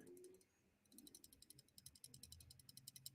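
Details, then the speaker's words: Folding knife shaken by hand: fast, light metallic clicking about ten per second, a rattle the sender couldn't identify, traced to a loose lanyard pin rattling inside the handle. "It's got a rattle. This is a knife that Jacob sent me, and along with a bunch of other knives for me to take a look at and enjoy. But he sent this one along because it has a rattle, and he couldn't figure out what it is."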